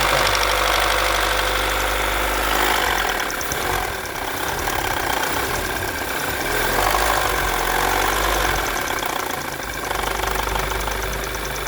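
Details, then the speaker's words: 2012 VW Jetta TSI 2.0 with check-engine light on, condemned by another shop: rapid, fairly regular ticking knock about three or four per second over steady idle; fault traced to a sensor, not internal engine damage; new part pending. "Mas o defeito dele está apenas aqui, ó, nesse sensor, certo? Vamos providenciar a peça nova, tá? Depois vamos gravar outro vídeo. Vai! Olha o barulho no motor, se você escutar."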